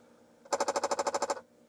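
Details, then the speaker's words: Apple II floppy drive, believed working, while loading a disk: about a dozen quick buzzing steps in under a second, very quiet. This is the head seeking normally; the load then finishes. "This drive is very quiet, but I could hear it seeking there."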